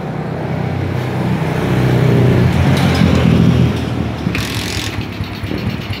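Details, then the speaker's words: Suzuki Smash motorcycle misfiring (brebet) and dying when throttle is forced, carburetor and jets checked clean: the note rises, then stumbles and sags unevenly; a corroded spark plug cap gives weak spark. "ini Ada perlawanan dari motor Smash Santo hot Lur blebet brebet Lur"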